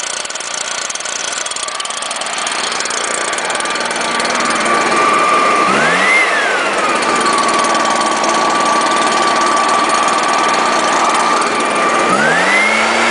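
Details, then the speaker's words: Stihl leaf blower with manual choke and no primer, started on choke then switched to run, gives an even drone that climbs cleanly on each throttle blip; it still runs perfectly well. "this one has the manual choke so it doesn't have a primer like from other ones which is a bad thing see still runs perfectly"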